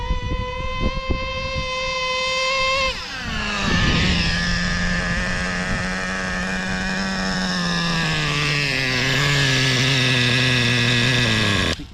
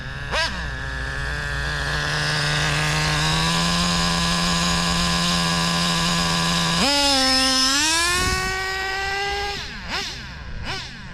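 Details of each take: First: Used Traxxas Slayer Pro nitro RC engine, just cleaned with new O-rings, during a fuel-line pinch test: high steady buzz that dies within about one second of pinching. Low-speed needle is set lean. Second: Traxxas Slayer Pro nitro RC engine with the low-speed needle dialed in (3-second pinch test) and half a tank of fuel: steady even buzzing idle, then a clean blip up and back down. Idle judged good and left alone.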